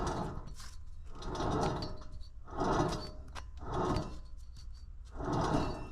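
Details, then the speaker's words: Ford Focus ST rear wheel bearing, hub spun by hand during brake job: slow swells with dry gritty crunch each turn, bearing also has some play; worn, to be replaced with new silent bearing. "okay it's pretty crunchy and now I have a new one right here that I just unboxed"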